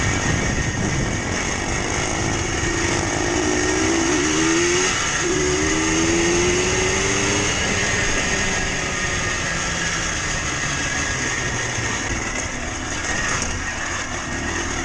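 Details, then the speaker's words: Recently bought Yamaha Blaster two-stroke under riding load: buzzy engine with a gritty, rumbling low-end undertone; suspected worn crankshaft main bearing, not confirmed. "you can really hear that low end bearing sound now it's getting real Timmy"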